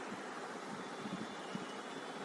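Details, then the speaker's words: Maruti Suzuki Swift petrol engine idling evenly with a steady hiss and no misfire, after replacing all four spark plugs, the ignition coils and a faulty wire; cylinders 1 and 4 had not been firing before. "Fitting करने के बाद देखो अभी स्टार्ट किया, गाड़ी बिल्कुल मिसिंग नहीं है, एकदम ओके दिखा रहा है।"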